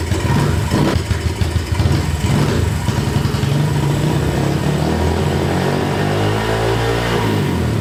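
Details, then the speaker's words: Kawasaki KLX143 big-bore pit bike with VM26 carb, fresh 10W40, first start: small single runs loud and revs up hard as soon as the choke is turned off, never settling to a low idle because the idle screw is cranked up too far. "Okay, so it wants to rev like crazy with no choke. Oh, is that just revving up as soon as you turn the choke off? As soon as I turn the choke off, yeah. But that's because I have idle. I said idle cranked, yeah."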